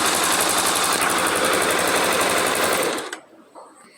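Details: Honda Twister motorcycle idling normally after a suspected cam chain noise was resolved with a simple procedure, without opening the cover: a steady, even patter with no chain rattle, then the engine is cut off.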